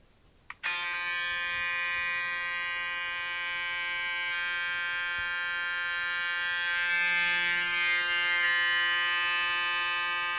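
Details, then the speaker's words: Braun shaver side-by-side noise comparison, new 7 Series vs about five-year-old 5 Series, new one about a third as loud: clean, steady buzz with even pitch and no rattles; normal shaver running. "I think there's a difference of uh at least 1/3 the new razor makes 1/3 the noise it is uh as good"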